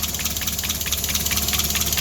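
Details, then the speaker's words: Mazda Miata idling right after the new supercharger intake install: sharp airy hiss pulsing with the engine. Owner suspects a vacuum leak, possibly just the new intake. Unconfirmed. "I do hear what sounds like maybe some vacuuming leakage but that might just be because it's got a completely different intake in it"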